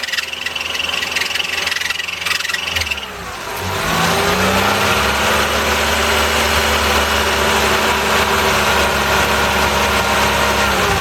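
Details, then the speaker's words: 1988 Toyota Hiace engine running well, air-con switched on: engine settles into fast idle with a steady whine once the A/C loads; old A/C belt worn, new belts and viscous coupling to be fitted; worn A/C belt noise. "Not a happy belt. Oh well, I've got this all apart now because got the new viscous coupling for it, and got the belts. You can see the old aircon belt is a little bit screwed."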